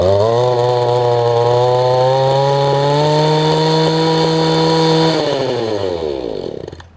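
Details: Mantis tiller two-stroke engine with a loose mounting and no working kill switch. Buzzy high idle with a slightly wobbling pitch, then it winds down and stops. Rough idle; the idle sounds like it needs adjusting.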